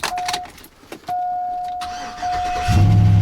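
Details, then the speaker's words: Truck not started in a long time, with a new battery and a used replacement engine said to have about 50-60,000 miles: chimes and key noise, then the engine catches quickly and settles into a steady low idle. It starts easily and is healthy. "yeah started right up all right let's let it run for a little bit"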